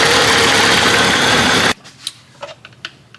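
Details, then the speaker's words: 1987–1995 Jeep just after power steering pump replacement with used pump, engine running: loud steady engine with faint thin whine over it, then shutoff; likely air still in the system, expected to work out with driving. "It still may have a little whine in it. They'll eventually work out. Yeah, it's got a little whine to her, but a little driving, that'll work it out."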